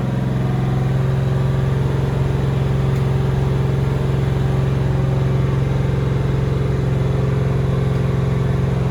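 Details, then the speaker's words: Doug Rippie 1995 Corvette LT1-383 stroker on an engine dyno (4.040" bore, flat-top Mahle pistons, 1mm rings, cam possibly a Comp 306) idling before the first pull: a deep, even V8 rumble with no misses and no smoke, sounding clean and normal. "no missing or I mean we'd be able to hear in here too but outside sounds clear"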